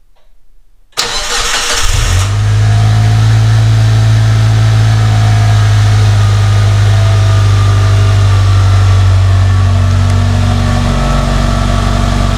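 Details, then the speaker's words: Mitsubishi Lancer Evolution 5, near-stock turbo engine with filter and recirculated HKS blow-off valve: cranks briefly, catches at once into smooth even idle with steady low hum, no knocks or misses; normal start and idle. "guys yeah so smooth very good engine [Music] yeah so engine's in running transmission's in"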